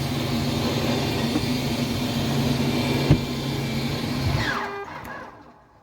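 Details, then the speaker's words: RV slide-out retracting with the button held five to six seconds after it stops: a smooth, quiet motor drone, then a light buzz-buzz-buzz as the motors synchronise before dropping off. Normal slide-out motor sync buzz. "okay you could hear that little buzzing buzz buzz buzz and that's the motor sinking up"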